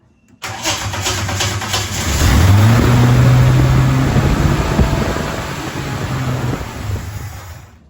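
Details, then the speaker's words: Holden HZ Kingswood wagon, 202 six, Trimatic, extractors, points ignition, reconditioned replacement carburettor on choke, very old petrol: catches after cranking, revs, then uneven idle that sags; idled a minute and died, still rough, cause under investigation. "Alright. I don't know what I did, but I just started it up and now it idled for a minute and then died."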